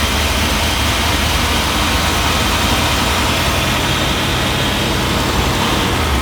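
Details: Just after fitting a new fuel pump and filter feeding the carburetor on a 1978 Jeep, the engine fires and settles into a loud, steady low rumble with an even idle, no misses or surging, running cleanly.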